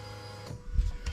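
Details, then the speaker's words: Fuel pump switched on through a scan tool active test on a 2000–2003 right-hand-drive manual Lexus LS430 (3UZ-FE VVT-i) with a brand new engine harness: faint, steady electric hum with soft thumps, pump running normally. "i'm going to move it over to here you should hear the fuel pump running there you go"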